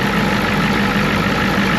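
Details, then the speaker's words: Ford F350 crew-cab bullnose dually turbo pickup with DeWeze bed: smooth even idle with steady low rumble and light turbo hiss, no knocks or misses, little blow-by seen; normal idle. "It is a turbo truck, so sounds good. Kind of fun. I mean, it really does sound good."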